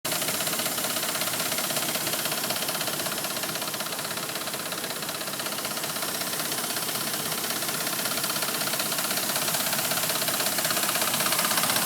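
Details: Dodge Ram 1500 gas engine at idle: loud, even, diesel-like ticking at about three per second over a steady idle. Valvetrain or exhaust tick; source unconfirmed.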